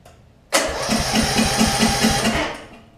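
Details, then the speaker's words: Briggs Intek engine on a Snapper RER mower after camshaft and automatic compression release replacement: quick, even cranking about five strokes a second, no labouring; engine spins freely, compression release working properly. "so why in the world will it crank like this now and then the other camshaft we have over there didn't baffles me right"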